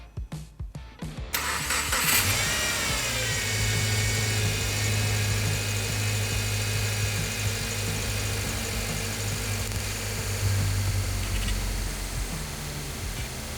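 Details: 2012 Subaru Forester after power steering hardline replacement, fluid topped off and bled lock to lock: even engine hum with no whine or groan as the wheel is worked; steering pump quiet with air bled out.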